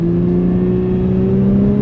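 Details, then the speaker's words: Holden VE Series 1 Commodore with dual-mass flywheel, driving under load at legal speeds: engine revs flare and climb over two seconds while the car barely moves; clutch slipping. "You'll be able to hear the revs go up, and we're not really moving. It just the revs spike up, and you're like, you would notice it if you."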